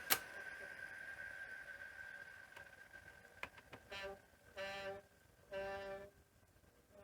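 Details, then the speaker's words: Sony SL-C5 Betamax: after pressing stop, short squealing rubs about half a second each repeat over a faint hum; the playback idler tyre is suspected of rubbing on the take-up spool. "Hear that noise? like rubbing noise that Oh yeah, we got some weird things going on with the jack as well."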